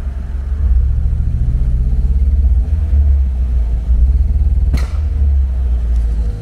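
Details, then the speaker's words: 1980 MGB that died after a 25-mile drive, running in the garage: lumpy rumble surging and sagging, won't pick up revs. Owner suspects a vacuum leak; spark plugs were later cleaned, one gap found closed. "I kind of only keep the revs open I've got to try and get into the garage and see it's like there's a vacuum leak"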